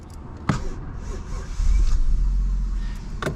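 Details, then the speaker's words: 2001 Toyota Crown Athlete V, 1JZ-GTE turbo, 194,000 km, engine already warm: cranks and hesitates, then catches and settles to a low, uneven idle; a slow hot restart, a recurring hot-start issue whose cause the owner doesn't know. "It's done that before. It's idling, it's running, but I've had hot start issues. Come on, hot start issue with this before. Don't know why."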